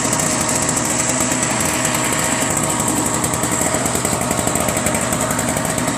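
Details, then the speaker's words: Single-stage snowblower whose owner thought it needed a carb clean: a fast, even two-stroke buzz holding steady speed with no stumbling or surging; it runs fine, and the choke was left off, so it won't cold start. "Well, I don't know what he was talking about, but runs just fine. I don't think he knows about the choke."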